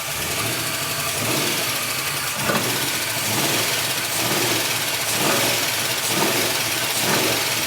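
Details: Holden Kingswood 304 V8 swap, Haltech Elite 950 ECU, TH700, freshly fired, no coolant yet: steady idle with slow surge about once a second over heavy hiss, no knocks or misses; runs fine.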